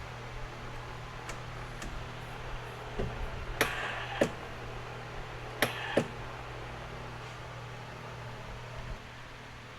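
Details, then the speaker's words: Old farm Ranger buggy being cranked with the spark plug out and the clutches disconnected: sharp paired clicks each key turn, engine never turns over; owner rules out the solenoid and suspects a bad starter, to check next by turning the motor by hand. "It's not a starter solenoid. I can hear it clicking whenever I turn it over. So, I think the starter's bad."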